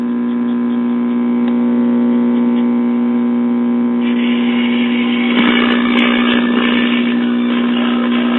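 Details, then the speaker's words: Mid-1960s Soma tube 4-speed record player amplifier, before repair: loud steady low mains hum with buzzy edge drowning output; filter capacitor about gone, very little cartridge output. "As you can hear, the filter cap is about gone."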